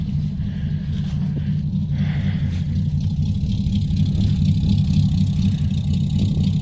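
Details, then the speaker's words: Old V8 in a Chevrolet C10, cold start with choke pulled fully out: steady low rumble at even idle, no knocks or misses; settled and running sweet. "Pull that choke out the rest of the way, and she'll idle."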